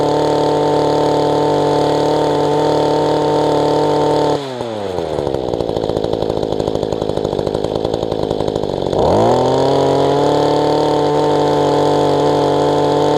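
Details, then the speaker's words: Mantis tiller small two-stroke engine after carburetor low/high-side adjustment, kill switch fitted and loose engine secured: buzzes at a steady high speed, drops to a clean ticking idle it couldn't hold before, then picks up smoothly; slight rocking remains; running normally. "Is working okay. So it's not trying to come up. I know it's got a little bit of rock to it, but I honestly don't know what I could do better in that situation."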